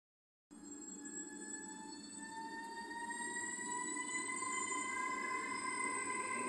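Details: Train pulling away slowly: several clear tones climb steadily in pitch, an unusual whine from under the leading car. The cause is unknown.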